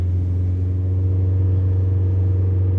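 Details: VW Golf TDI on stock engine mounts, held around 2,500 rpm, microphone inside the cabin: steady deep diesel drone, even and smooth with no knocks or surging; engine running healthy.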